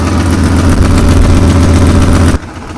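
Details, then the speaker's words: 2002 Ford F-250 5.4L V8 idling, heard from the passenger side: a faint quick ticking over the rumble from an exhaust manifold leak, with no broken bolts visible. A possible lifter tick is also suspected. "Okay, you can hear a bit of that exhaust tick too. I don't exactly see where it's coming from."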